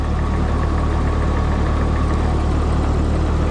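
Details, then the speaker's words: Old John Deere tractor, engine never needing work: low even rumble at steady idle with a regular firing pulse, no knocks or misses. Normal idle; owner notes low oil pressure reading, possibly a faulty gauge. "didn't really have to do anything with the engine which was kind of nice though cuz it does run pretty good she's a smooth"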